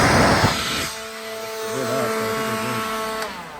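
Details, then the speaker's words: Used battery-powered leaf blower, second test in a pawn shop: a click, then the motor spins up to a steady whine with fan rush at one speed; it works fine. "I think we're good. I mean, this thing works."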